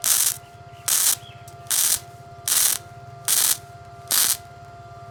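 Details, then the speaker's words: Powerhouse gasless flux-cored MIG welder full-welding steel window frames: short, evenly spaced bursts of crisp, steady sizzle, about seventy a minute, with no popping or sputter, the sound of correctly set amperage. "So, dun sa mga hindi marunong magtimpla ng amperahe, bumase na lang kayo sa tunog. Malalaman nyo lang na maganda yung timpla ng amperahe nyo kapag ganito yung tunog."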